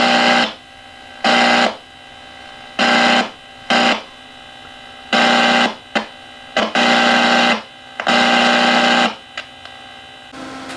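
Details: AC-powered AM/FM radio with FM fault, board probed near FM local oscillator transistors: loud buzzing hum bursts cutting in and out every second or two from the speaker; owner suspects FM oscillator circuit; intermittent hum and noise.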